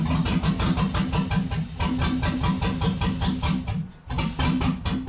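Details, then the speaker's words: LS-swapped (5.3L) 1948 Dodge pickup, first start after fitting replacement injectors and reprogramming: a loose, lumpy pulsing idle that stumbles almost to nothing, then stalls and smokes; owner suspects something unplugged, like the MAF sensor. "It runs. Hell yeah. Not sure why it died."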